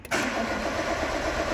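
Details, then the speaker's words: Peugeot 206 (about 2008) that won't start, cranking on the starter with a steady churning sound but never catching; the oscilloscope shows no correct crankshaft sensor reading while cranking, so the mechanic suspects the crank sensor, unconfirmed. "vemos que apenas apenas se me dio nueve pero no tenemos una lectura correcta del sensor se escape por lo tanto es posible que este sensor no esté trabajando no esté trabajando bien"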